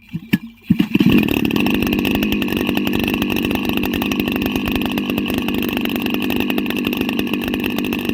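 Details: Petrol engine of an agricultural engine drone starting, then running with a harsh, raspy, even buzz, about as loud as a bike with its silencer removed. High noise is one problem, along with high running temperatures shortening engine life.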